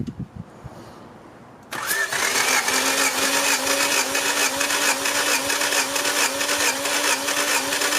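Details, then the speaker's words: 1990 Honda Civic Si, engine warm, cranking compression test: starter engages, then a steady cranking whir with even pulses about twice a second and uniform compression; cylinder one about 160, the rest around 150, so compression is not the issue. "good 149 ish so the compression test seems okay so number one 160 the rest right around 150 it's not too much of a variance from them but I don't think compression is the issue"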